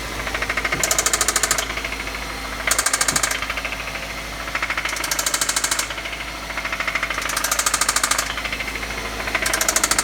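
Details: Engine idling with a spun rod bearing on cylinder 1: hard metallic knocking about three per second, surging in loud bursts every couple of seconds; rod knock.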